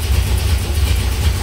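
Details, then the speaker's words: 1964 Dodge Polara 383 V8 that sat for years, started on a fuel pump sucking old gas into a bucket, 60 psi oil pressure at idle; deep steady even rumble with no knocks or misses; normal idle. "383 fire right up boom 60 PSI oil at idle there sounds great yeah it sounds like a sounds incredible"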